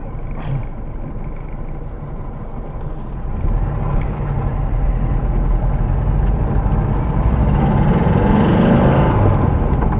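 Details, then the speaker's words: Porsche 912 after Bosch distributor vacuum advance work with timing reset, idling at about 1000 rpm: slow, lazy, deep loping idle that picks up slightly, charging light on because revs are low; low idle speed. "okay so the charging light comes on when you're idling because the revs are quite low it's still kind of going okay i think"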